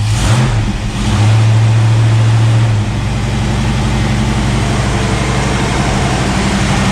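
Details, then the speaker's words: 1973 AMC Javelin after U-joints, transmission linkage, cooler lines and new radiator, fuel poured down the carb on the third try, possibly flooded: catches after a stumble, then steady even low run, no scraping or rubbing; picking up fuel, normal start. "Yeah, it's picking up fuel."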